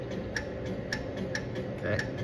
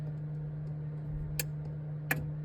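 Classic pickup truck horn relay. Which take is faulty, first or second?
first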